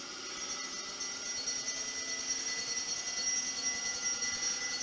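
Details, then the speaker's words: Homemade Kelvin-replenisher-style high-voltage induction generator after cleaning and modified collector pads: clear high bell tones ringing two or three strikes a second over a steady hum; Franklin's bells running strongly, no longer struggling. "that's not struggling that's running very well"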